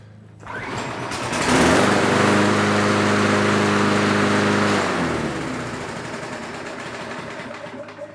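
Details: Toro self-propelled walk-behind mower, revived after being left for dead, restarted once a little warmer. The small engine fires and holds a steady high buzz for a few seconds, then settles lower with no stumbling; running fine.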